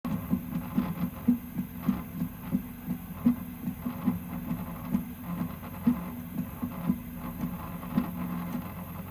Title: Prusa MK3S+ - Y-axis/bed rattle / noise